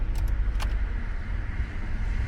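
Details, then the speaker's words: Honda SOHC VTEC after an intake manifold install with the air filter removed; it also cuts out at 6000 rpm. Deep, slow, slightly uneven thrum; owner feels it idles quite low and may adjust the idle up, cause unconfirmed. "the car feels like it's idling quite low though so i don't know that's maybe a thing maybe i should just adjust the car's idle up a little bit"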